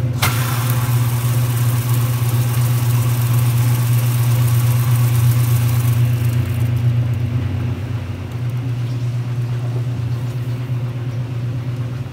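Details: 1978 Kenmore 70 Series top-load washer with new-old-stock motor, belt and pulley fitted: low, even motor hum swelling and easing rhythmically as the agitator swings back and forth; healthy drive, normal agitation.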